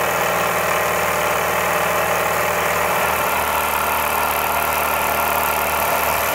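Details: Hobbies Bowman superheated Peggy model steam marine engine from a 1928–1932 Peggy boat, after repairing old damage: fast, steady chuffing hiss that stays even with no clanks or stumbles; running well, healthy.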